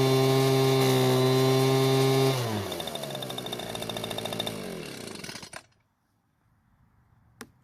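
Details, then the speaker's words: Echo two-stroke leaf blower that would not start after storage, after repair of its fuel-leaking carburetor: it runs steady and even at high speed, drops smoothly to idle and shuts off cleanly. It runs fine, with no fuel leak afterwards. "seems to be running just fine now and after letting it sit for a few hours there wasn't any fuel leaking from the carburetor"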